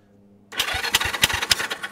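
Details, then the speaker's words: 1973 Honda CB360, tankless and run off a jump box, cranked with a finger over the plug hole: the starter gives an even chuff-chuff rhythm of about four to five uniform pulses a second, and the compression sounds normal. "I don't know about you guys but that sounds like compression to me"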